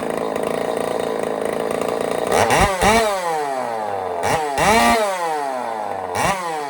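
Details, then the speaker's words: Echo 590 chainsaw on first start with a custom cylinder head, mixture screws turned out and not yet tuned: a buzzing idle, then crisp blips to a screaming free rev that drops back cleanly. Small leak at the head seam near the plug, but it sounds amazing. "So tiny little leak there, but she sounds amazing."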